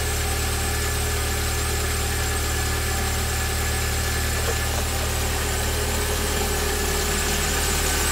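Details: VW Gol AP 1.6 engine, front accessory belt area: steady idle with a constant high whine and faint rattle, louder when colder; belt, tensioner bearing, water pump or alternator suspected, source unconfirmed.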